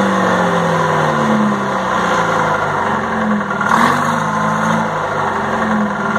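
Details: 1960 Detroit 4-71 two-stroke diesel, ex-generator engine said to have only test hours: a steady, even drone with a firm low hum, a brief blip midway, no knocks or misses; owner notes a little smoke at low rpm.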